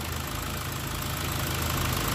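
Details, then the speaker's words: 2015 Ford Ka 1.5 Sigma, low power and hard morning starts after a timing belt job; steady idle with a dull, slightly uneven low pulse and heavy hiss; oscilloscope tooth count shows cam timing out of sync; ignition advance near zero. "mas constatei aqui é um problema e eu vou estar mostrando para vocês aqui um problema de sincronismo com o osciloscópio"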